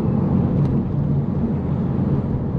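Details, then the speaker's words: Audi TT Mk1 BAM 225 turbo after replacing the N75 valve, under load in fourth gear at about 7-8 PSI boost: deep, steady roar pulling hard without stutter or breaking up; smooth acceleration under boost. "Fourth gear, about 7 or 8 PSI. So it's behaving dramatically different."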